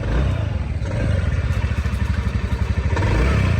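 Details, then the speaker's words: TVS Ntorq scooter after replacing a badly stretched cam chain and a cam chain adjuster that had a 10 mm nut welded onto it: steady, even low thrum with a clean firing beat, no rattle or tapping; normal engine running. "सो हामीले केमचेन र केमचेन adjuster फेरिसके पछाडिको चाहिँ आवाज सुन्नुहोस् है त।"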